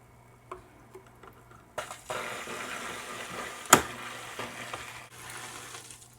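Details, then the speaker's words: Aquaclear 50 hang-on-back filter on a 29-gallon tank, restarted after fitting a sponge pre-filter on the intake: a quiet hum, then rushing, gurgling water as the intake pulls water back up and settles into normal flow. Normal priming. "And there it goes. Suck that water back up the tube."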